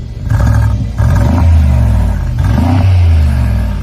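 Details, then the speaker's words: Mercedes 4-litre V8 with separate left and right exhaust pipes, no X-pipe, revved: deep blips rise and fall with a lumpy, uneven burble resembling a misfire with some popping, each bank heard as four cylinders alone; X-pipe needed. "They need an Xpipe because at the minute, so you have eight [music] cylinders. Exhaust pipe goes down and out here, and then exhaust pipe goes down and out there. So each side, you only hear four cylinders at a time."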